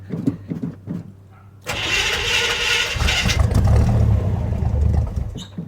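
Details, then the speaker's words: Cold start of the old engine in a 1978 square-body Suburban, carbureted V8 primed with pedal pumps: a few slow starter turns, then it catches with a rush and settles into a rough, uneven cold idle; normal cold start before crate-engine swap. "There we go, there's a nice cold start right there for you."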